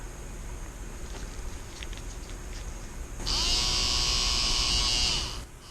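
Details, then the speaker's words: Repaired 1994 Lionel RS3 locomotive DC motor on a 9-volt battery test: it spins up to a steady, smooth high whir with no scraping or stutter. Healthy and strong. "Sounds healthy to me. Yep, that is healthy and strong."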